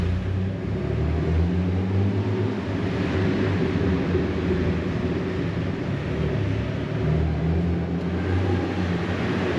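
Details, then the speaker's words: Jeep Wrangler TJ after off-road trip, cruising in an underground garage; steady low engine and tyre rumble with no knocks, squeals or grinding, earlier rubbing thought to be mud and debris in the wheels, now normal. "like I don't really hear anything that doesn't sound like it should be there obviously Jeeps make a bunch of different weird noises but uh it doesn't sound like anything's broken so that's good"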